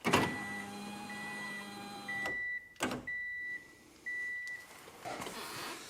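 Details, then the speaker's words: Car door window motor whining in short stop-start runs with clicks and dropouts; stripped window regulator gears, regulator replaced. "so that's pretty much what it was doing you can hear it so the gears are"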